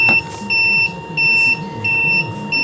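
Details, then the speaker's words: CBA brand electric sprayer: repeating high-pitched beeps about every two-thirds of a second in a quiet room. This is the low-battery alarm sounding even though the charger shows green; the charger measures 14 V. "tanda baterai lemah itu berbunyi meskipun dicas sudah hijau"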